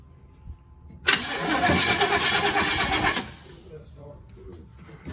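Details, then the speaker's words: 1968 Chevrolet Impala convertible, long stored outside, choked, with a stuck float freed and the carb bowl dry so fuel must come from the tank: two seconds of fast, uneven cranking at about three turns/s, no firing. Won't start. "I wish we had a little bottle of gas we could fill the bowl up"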